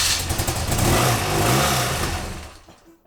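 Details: BMW R100GS Paris Dakar, first start after engine reassembly: lumpy, uneven idle that wavers and dies within seconds; runs rough, owner suspects unsynchronised carbs and carb tuning.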